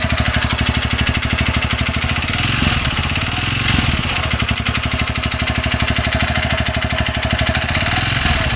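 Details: TVS Radeon BS6 fuel-injected 2020 bike, low mileage, sound appeared suddenly; sharp, steady ticking about 190 per minute over the single-cylinder idle; timing chain checked and found fine, owner suspects piston knock, unconfirmed.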